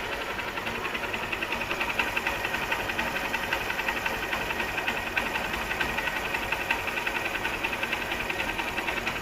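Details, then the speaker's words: Honda motorcycle after repair for white exhaust smoke: new cylinder block, timing chain, valve seals and gaskets, fresh engine oil. Quick, even idle patter with light valve ticking, steady speed, no knock or rattle, no unusual noise; healthy idle. "तभी इस तरह का sound है इसमें, ऐसा बाहरी कोई भी साउंड नहीं है इसके अंदर।"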